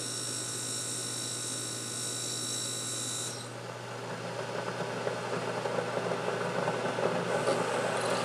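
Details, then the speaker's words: Keurig K-Cup brewer making an 8 oz cup: quiet steady electric hum, then softer gurgling rush as the second pump forces heated inner-tank water through the pod; normal brew cycle. "then the heating element has to heat it up to the correct temperature then you hear a second pump Force the water down in through the Kake cup and into your cup or whatever you are putting the coffee in"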